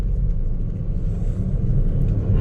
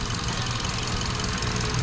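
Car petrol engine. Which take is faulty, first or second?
second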